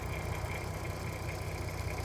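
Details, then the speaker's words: 2007 (57 plate) VW Golf R32, about 92k miles, idling near the end of a one-hour carbon clean: quiet, soft, even idle with a steady low burble, no ticking or knocking. Quieter and smoother than before, normal idle. "an hour later obviously on camera it sounds a little bit different I don't know if you guys can tell but it is sounding quieter lot smoother a lot more chilled out"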